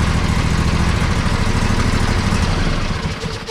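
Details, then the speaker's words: John Deere 145 with a Briggs & Stratton Intek V-twin at idle after a valve adjustment and a new battery that fixed the weak starting. A quick, firm start, then an even, steady low thrum with no misses or knocks. Normal idle. "runs great spins fast everything is good so the valve adjustment and also a new battery"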